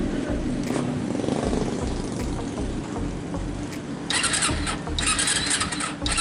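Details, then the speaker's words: Carbureted Kawasaki Ninja 250 twin with an unstable, wandering idle that settles slowly after blips; also hard to start in cold mornings. Carburetor or a leaking valve is suspected, carburetor checked first. "Nah, jadi untuk keluhan motor Ninja ini langsamnya kurang normal, terus pagi-pagi susah hidup."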